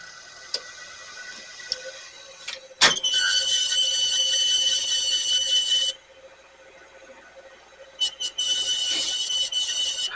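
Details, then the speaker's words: Sony VO-5800 U-Matic VCR on playback: a sharp high-pitched squeal comes and goes over the tape-drive whir and badly affects the picture; the pinch-roller solenoid also engages slowly. The cause is not yet found. "I wonder what the heck's causing that cuz that sounds like I wouldn't expect that noise from a VCR sounds like something like a robot and the sci-fi film would make like the main computer uh got you know emergency shut down"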